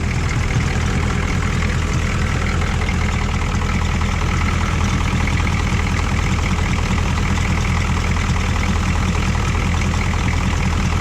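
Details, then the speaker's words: 1985 GMC 3500 with 6.2 Detroit Diesel after crank no-start fix: steady loud diesel clatter at even idle, slight hesitation at start, no misses or knocks; normal idle, fault thought to be a battery connection. "all right try to start it up started up there that wasn't too bad"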